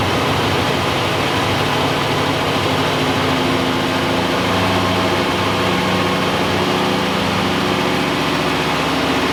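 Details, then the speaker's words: 1986 Oldsmobile Cutlass V8, first start after sitting, with the carburetor primed and fresh coolant and gas. Rough, lumpy idle with uneven stumbles and the body shaking; the engine is misfiring. "start quick it's still going out of there it sounds weird it's running that was quick a Mis fire see it shaking like that"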